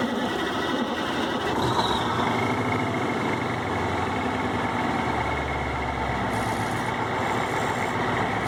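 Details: Cummins VT-903 diesel truck: heavy roar held high and uneven, runs past governor, no start or stays running without throttle, heavy white smoke; Cummins tech suggests bad front fuel pump seals; engine hunting past governor.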